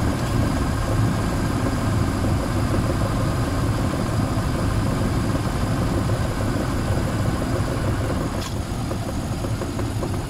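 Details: Range Rover P38 4.6 V8 petrol engine idling with a muddled, uneven low knock under the rumble, plus power loss, misfire and oil turning charcoal within months; owner suspects big end bearings or piston ring failure.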